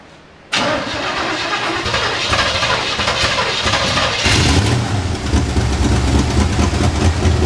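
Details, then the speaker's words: Square-body truck that sat in a field for about 10 years, now with a new fuel pump, fuel lines, spark plugs and plug wires. A quick crank, then it catches and settles into a steady, deep idle with no misses. Normal start and idle. "this truck's been sitting in the field for like 10 years we tried to get it running the other day but the fuel pump wasn't pumping so he's put a new fuel pump in it"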